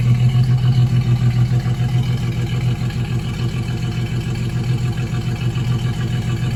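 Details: 2004 single-cab truck V6, oil badly overfilled, steady idle with a regular knock about 3.5 per second over the low rumble; owner wonders rod knock or torque converter bolts, unconfirmed, before planned V8 swap.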